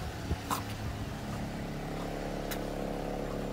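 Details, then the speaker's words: 2006 Ford Fiesta ST after the manifold heat shield fix, back box weld and new tip: a quiet, even idle hum with no rasp, blow or rattle from the exhaust; a healthy idle. "I think I've done alright there with the exhaust notes. Got a lovely idle."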